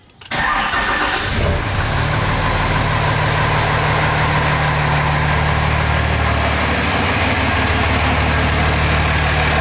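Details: 2005 common-rail Cummins diesel in a 2008 Ford F-350 dually, no belt fitted, warming toward 180°F oil temp for a head stud retorque: brief crank, quick catch, then steady even clatter settling into a smooth idle; healthy start.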